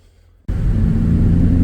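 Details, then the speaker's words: Nissan 350Z after rebuilding the short shifter assembly, bolts tightened and extra grease added: engine pulls with a steady low rumble and no loose metallic shifter rattle, previously like a jar of pots and pans. "So, it's night time now, but there's no more rattling coming from the shifter. Before that would have sounded like a jar of pots and pans."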